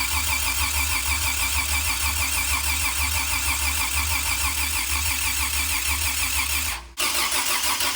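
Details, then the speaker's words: Toyota 2F engine, first start after a full rebuild, with a new starter: steady cranking at about three turns a second that never fires. A stuck float valve poured fuel, and the engine is suspected flooded. Crank, no start. "so we cranked this thing up and seemed like the float valve was stuck of course all this fuel to pour out of here so what are we doing now give it's probably flooded"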